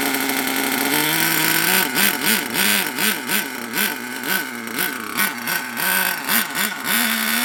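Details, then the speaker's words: HPI Savage SS nitro RC engine after years in a shed, crankcase filled with penetrating oil and possibly old nitro: steady buzz with quick throttle blips rising and falling cleanly, deep and throaty; picks up crisply and runs well. "but it started to run really well don't forget the whole crank case and everything it was fill up with PB Blaster three in one or probably a load of old Nitro but it actually runs really well and it sounds a nuts sounds really deep and just like throaty"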